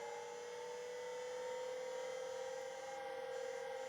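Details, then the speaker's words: 1985 Plexus P/20 UNIX computer MFM hard drive powered up with ribbon cables connected: quiet steady whine at constant pitch with faint soft ticking; servo speed control good. "I will connect up the ribbon cables here and we'll power this back on again takes a moment to start spinning"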